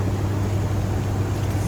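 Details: Hitachi 3-pipe VRF outdoor unit after error code 53 checks (compressor windings meggered, inverter module diode-tested), system restarted: steady low hum, firm even drone, no knocking, rattling or hunting; running normally.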